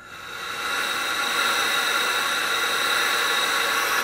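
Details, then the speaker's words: Tippmann A5 paintball marker aired up: constant high hiss for about four seconds then sharp cutoff, air leaking around the valve assembly where the tombstone connects to the valve, with some also coming down the barrel. "You can kind of hear that leak seems like it's coming down the barrel or around the valve assembly where the tombstone actually connects to the valve. And you also hear a little bit coming down the barrel."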